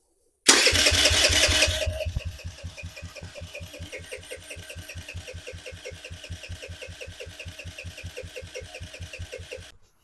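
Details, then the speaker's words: 2007 Kawasaki KFX50 four-stroke 50cc quad, after fresh fuel, starter spins in steady chugs about four per second with no firing; at top dead center the flywheel isn't at correct timing for spark, from a sheared flywheel key. "so upon further inspection right now we have it top dead center and if you go over here to the flywheel you can see that it's not the uh flywheel is not connected at the correct timing to have spark"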